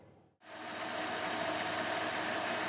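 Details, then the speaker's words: Van started on a hot day after a badly drained battery was jump-started with a Cen-Tech 750 peak-amp jump starter: a smooth, steady hum settles in right after start with no knocks or misses. The engine is idling normally. "Okay, so the van is running, that's a good thing."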